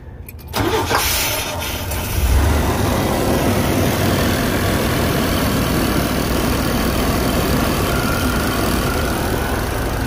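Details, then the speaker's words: 1989 Chevy Astro with throttle body injection that won't restart once heat-soaked, cranking with brake cleaner sprayed in: cranks a couple of seconds, catches and runs on the sprayed fuel, no injector fuel delivery, soon dies; wiring connection suspected. "here's another thing that you might come across you probably put some brake cleaner or something in there and then crank it"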